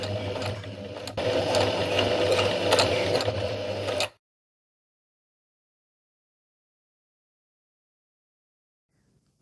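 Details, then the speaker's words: Sewing machine stitching with the bobbin inserted wrong (clockwise), bobbin tension mechanism missed: loose clattering rattle from the bobbin area as bobbin thread runs uncontrolled, then it stops. "Quite logical if you consider nothing is controlling the flow of the bobbin thread. You can hear the rattling of the bobbin as it keeps thread uncontrolled."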